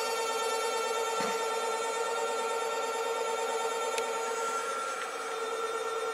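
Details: Stepper motor driven by a Bedini SSG circuit in self-oscillation mode with base-emitter lead cut: steady high whine near 909 Hz with a few overtones at even pitch; it speeds up when flicked.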